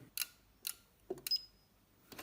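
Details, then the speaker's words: Allpowers S2000 PRO power station: sharp, dry clicks, single and in quick pairs, from the small relays on the front control panel at switch-on. The cause is unclear, and the unit also has an intermittent pulsing-output fault. "що клацають релюшки на морді на морді є малесенькі релюшки"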